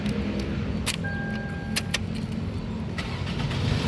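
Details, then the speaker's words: 2007 Toyota Camry 2.4 G automatic, 55,000 km, used-car check after confirming oil, coolant and no leaks: quick, clean crank, catches at once and settles into a steady idle under the radio; healthy start, no hesitation. "Nah, apabila kita starter mobil, yang pertama kali kita perhatikan mobil ini dia startnya itu bagus, tidak tersendat ya."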